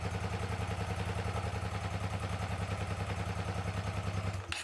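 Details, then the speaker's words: 2006 Hyosung GT650S V-twin after two years stored, carburettors needing cleaning: uneven, loping idle with a lumpy beat around three and a half per second; running on one cylinder, won't exceed 5,000 rpm, rear exhaust header hot, front stays cold. "यह एक we-twin motorcycle है, लेकिन अभी यह केवल 1 cylinder पर चल रहा है मैं यह बता सकता हूं कि यह मामला है क्योंकि यह 5,000 आरपीएम से ऊपर नहीं होगा"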